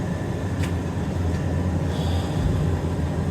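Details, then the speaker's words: Carrier gas furnace after inducer motor change and maintenance, running 10 minutes with trap filled and no code 31 light: smooth steady low hum from furnace and new inducer fan, no knocks, squeals or rattles; normal running. "okay we've been running for 10 minutes now that trap's filled up no light we're good to go"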